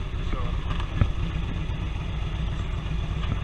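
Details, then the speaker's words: Harley touring V-twin idling hot after new exhaust pipes fitted without joint gaskets, choke used to start; deep lumpy even loping idle, no ticking or puffing at pipe joints, no exhaust leaks. "It's nice and hot, no leaks. I thought I'd just double check where the pipes go together since I eliminated those gaskets, and no leaks."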